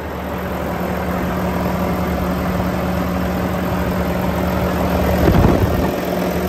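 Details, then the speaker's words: 2018 Volvo VNL 630, D13 455 hp, iShift, hot at 170°, oil filler cap off: steady smooth diesel hum at fast idle under constant fan roar from AC, no knocks, misses or blow-by; healthy engine. "I'm going to take off the oil filler cap show you the engine running and show you that there's no blow by on this engine it's in perfect running condition so let's get that idle turned up and we'll have a listen"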